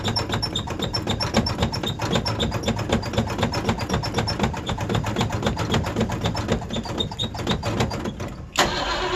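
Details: Old Ford Bronco, first cold start: long uneven cranking chugs with lots of pumping for about eight seconds before the engine finally catches and roars; a hard cold start.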